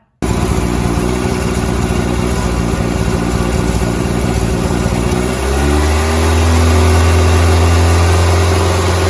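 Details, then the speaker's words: 1988 VW Polo MK2 Breadvan carburettor idle climbs to a higher smoother note when carb spray is sprayed under the air filter housing; owner suspects carb flange letting air in causes the running issue, replacement flange to be ordered. "And as you can see, when I was spraying the carb spray underneath the air filter housing, it was revving up. That flange, I think, is letting air in, and that's causing the running issue."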